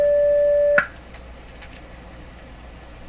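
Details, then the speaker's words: General Electric C600 radio after its old wax audio capacitors were replaced, powered through dim bulbs: a steady, pure test tone plays with no hum or buzz, then cuts off. The audio amplifier stage is clean. "so nothing wrong with the audio range and actually the auto amplification and thus amplifiers could and I didn't hear any funny hum or buzz or anything at all"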